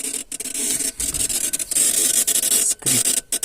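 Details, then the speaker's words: VW Passat B3 turn signal stalk: dry, irregular crackling and scratching when switched on, normal one way but not the other, caused by poor internal contact. "this is all happening due to poor contact due to there is a bad contact here"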